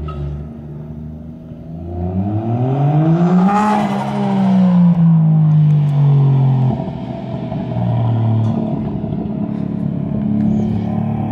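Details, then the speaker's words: Nissan 240 street car with turbo 1JZ, mass airflow sensor given a borrowed 5-volt reference after a MAF code, on a test drive: rising note stutters and sags under boost; still breaking up, cause unconfirmed. "definitely still breaking up."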